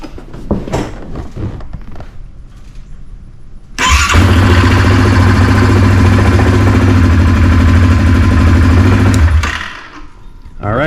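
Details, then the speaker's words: 2018 Yamaha Kodiak 700 EPS SE ATV after starter replacement: brief clean crank, engine fires right up and settles into a steady even run; the old starter's scraping, metal-on-metal noise (owner suspects loose magnets) is gone. "uh yeah that sounded great i mean that fired right up the starter wasn't making that noise"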